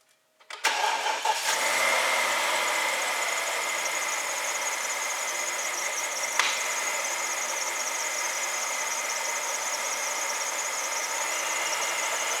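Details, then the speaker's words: 2006 BMW 750 N62, cold start after installing new MAF sensor: cranks, catches, uneven busy idle with one sharp pop; sounds no different from old sensor, which also popped; cause unconfirmed. "almost sounded like no difference as you can even hear that it popped which the last sensor would also do that"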